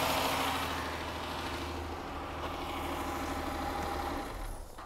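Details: 2008 Dodge Charger with intermittent no-crank, started by jumping relay pins 30 and 87 with the key on: the engine catches and settles into an even, steady idle with no misses or knocks; a normal crank, start and idle.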